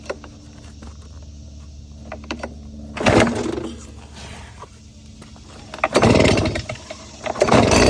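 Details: Stihl BR 200 backpack leaf blower, choke on full and primer bulb pressed five times: three sharp recoil pulls a few seconds apart, the last catching into a loud buzzing two-stroke run; normal choked cold start.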